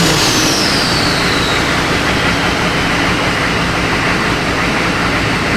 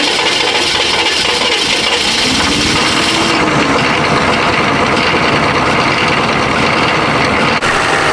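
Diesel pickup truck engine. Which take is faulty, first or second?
second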